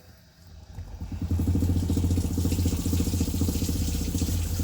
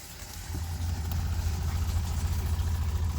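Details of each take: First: 2017 20ft Airstream Flying Cloud water pump with newly installed IRVWPC2 controller, first run with water on; loud steady droning buzz with fast pulsing rattle because the hoses were pressed against metal, carrying pump vibration into the body. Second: 2017 20ft Airstream Flying Cloud water pump after fitting IRVWPC2 pressure controller (about 40 PSI) and padding the hose against the wall: low, steady hum with soft even pulse, nothing rattling; quiet, normal pump operation.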